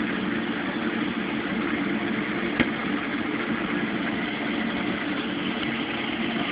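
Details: Mueller Special Brazilian washer, cold-fill-only machine that heats water itself, duvet load on 60°C wash with extra rinse, start of cycle: constant even rush of water, quiet machine, one brief tap partway; normal cold fill.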